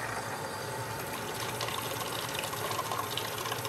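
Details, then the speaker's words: Steam injector with a deliberately loosened fitting at the water valve, simulating a water line leak: rushing water and hiss with an irregular gurgle as it tries to start while the overflow keeps leaking; air leak. "notice it sounds like the injector is trying to start but the overflow is still leaking and there is a gurgling sound"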